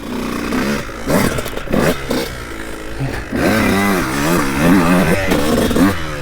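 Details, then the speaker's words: 2002 Honda CR125 two-stroke with stock jetting and little top-end work: slow throttle response, revs waver and stutter with a delay before the power band; the engine breaks up under throttle, cause unconfirmed before port work and carb jetting. "so as you can see it just kind of breaks up a little bit foreign [Music] oh you hear that such a delay before the Power Band"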